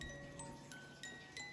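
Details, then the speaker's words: Vintage Goldbuhl ballerina alarm clock: clear, bright plucked notes at an even pace, with no dragging or grinding, changing between fast and slow "lullaby" speeds; the music box runs freely. "It's totally funny when you hear this how the sound of it when it's moving fast. When it's barely creeping along, you're like >> It's almost like lullaby mode and wake up mode."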